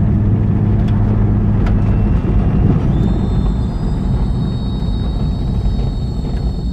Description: Trying to figure out what's causing this noise.